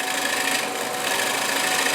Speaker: you can hear how quiet it is if you're making a lot of noise with this tool you're doing something wrong